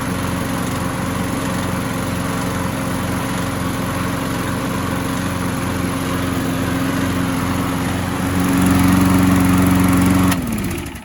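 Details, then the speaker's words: Craftsman mower that popped but wouldn't start, after flywheel key replacement and cheap new carburetor, run before oil change: brief hiccup, then steady even firing, speeds up briefly, shuts down cleanly; runs fine. "bad runs pretty damn good a little bit of a hiccup there at first"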